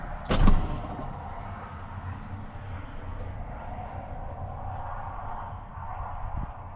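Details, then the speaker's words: International 7600 air brakes after an air-leak repair, shop air off and wheel chocked: brief clunk, then a low, even diesel idle with no hiss of escaping air. The system now holds steady pressure, where before air bled down when holding the brakes at stops. "Just released our brakes. Let it equalize and get a good brake stand. And it is holding steady. That's exactly what we need."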